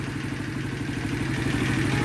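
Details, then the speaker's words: Shineray 50cc motorcycle after repair of an engine knock, cam chain replaced and shortened by two links: quick, even idle putter with no clatter or knock; engine idling quietly and cleanly. "aqui nós motorzinho dela da tá bem caladinho é já trocou a corrente informando tirou o dente da corrente com dois dentro da corrente de comando"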